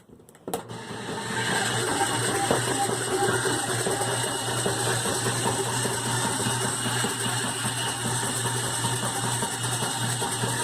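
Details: GE top-load washer model WDRR2500K3WW: harsh loud grinding and ratcheting over low motor hum right after filling as agitation starts, sometimes at second agitation, only during agitation; cause unknown.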